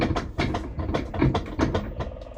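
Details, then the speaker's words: 9-year-old LG WT5480CW washer rerun in test mode: thumps and swishes a few times a second as the agitator reverses, with no grinding or slipping; agitation now normal. "no because now now it's working as intended this is really strange you guys"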